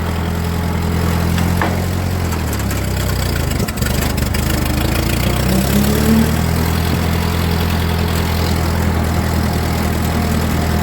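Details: Ford 2N tractor rolling in second gear after switching the fuel valve to reserve: steady low engine drone with a faint gear whine riding over it, nothing knocking. Normal transmission gear whine of an old tractor gearbox.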